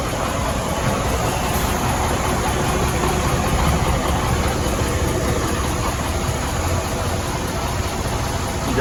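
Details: Freightliner Cascadia DD15 diesel idling rough with a loud tick mixed into the clatter, caused by a damaged rocker arm adjusting screw button under the valve cover.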